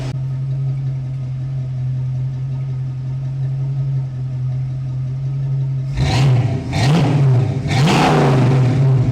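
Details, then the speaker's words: 1967 Ford Mustang V8 after fitting Pertronix electronic ignition and a new coil, timing set to 6° BTDC: steady, even idle, then several crisp throttle blips that rise and fall cleanly. Healthy running. "Yes, real V8. American muscle. That's what I'm talking about."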